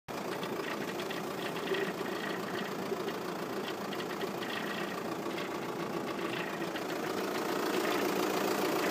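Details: VW Passat 3C 2.0 TDI diesel idling with a fairly regular light tapping, roughly three or four per second, over the engine clatter; source of the noise undetermined.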